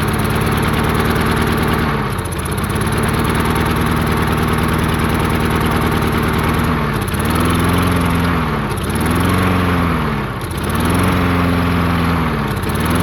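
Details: Murray 22-inch push mower, 5 hp Briggs flathead, unrun 20 years, missing gas cap, found full of water: engine speed sags and recovers every couple of seconds, hunting from fuel starvation; owner suspects debris in fuel line, will recheck carburetor.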